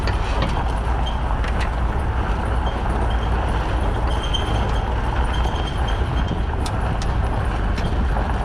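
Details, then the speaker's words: Towing a trailer slowly in dry conditions after the weight distribution hitch bolts were retightened to 75 ft-lb (a bottom bolt was loose): steady road and engine rumble with no creaks or pops; hitch now quiet. "That was a huge improvement. I mean, I know that it's not making a ton of noise because it's not wet, but oh my god, there was like hardly any noise."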